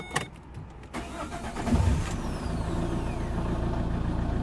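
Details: 2007 Vauxhall/Opel Vectra 1.9 diesel Z19DT after engine swap, after correcting rail pressure sensor and solenoid wiring to ECU: several seconds of uneven cranking, then catches and settles into steady even diesel idle; normal start.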